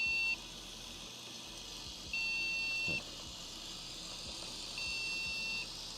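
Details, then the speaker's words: Crypto-mining rig motherboard with multiple GPUs at power-on gives a POST error beep code, counted as five beeps, with steady high beeps over a faint hum. The board is suspected to be temperamental with multiple GPUs, possibly a slot issue. "all right let's fire it up all let's right this okay that's interesting five beeps"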